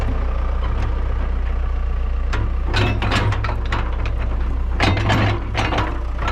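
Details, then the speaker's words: Kobelco SK120LC excavator diesel, started by sending 24 V straight to the ignition because of a wiring fault: fires up and settles into a steady, even low rumble with no knock or miss; engine runs healthy. "Okay. So, you can hear it. It fires up great. I mean, it really is uh a good running machine"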